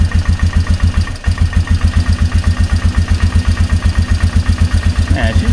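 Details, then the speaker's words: 2003 Polaris Magnum 330 4x4 ATV with hard-start history, after fuel pump replacement and idle turned up: steady, even single-cylinder thump at about four beats a second, low and smooth with no misses; healthy idle. "just purring like a kitten. I guess the fuel pump is all it needed."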